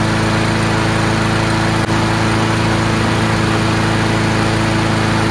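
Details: Free garbage-pick Troy-Bilt TB240 Honda-powered self-propelled mower after carburetor clean: steady even drone at constant speed, no misses, surging or knocks; runs really well now, normal running.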